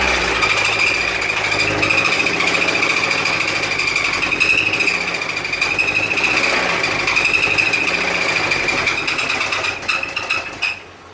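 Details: MK1 Toyota MR2, first start in over a year: rapid hard engine knock with a loud, steady high-pitched squeal that is not from the belt.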